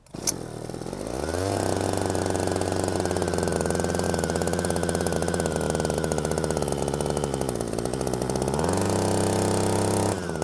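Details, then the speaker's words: Hedge trimmer engine after rebuild, started on choke: it settles straight into a fast, steady buzzing idle far above normal. Air leak found to be a cracked intake manifold. "The idle's so high. Why is that so high? We gotta investigate."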